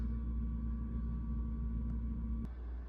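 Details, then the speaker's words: Garbage disposal in a rental house, switched on: low steady electrical hum with no spin-up, cut off after about two and a half seconds, motor nut not turning; motor stalled, unit needs replacing. "So when I turn on the switch, you can hear it trying to buzz, but nothing is actually happening down in the sink. You can see the nut for the motor down there. It should be spinning or trying to turn."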